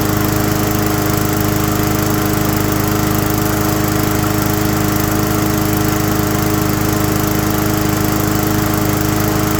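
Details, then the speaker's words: Abandoned mower after a tune-up and carb work: steady, even engine drone with no misses or surging. Most of the earlier vibration is gone, with a little remaining. "okay um a huge part of that vibrations going there's a little bit but I mean it's a working machine so you can't uh you can't make them perfect I'm very happy with that"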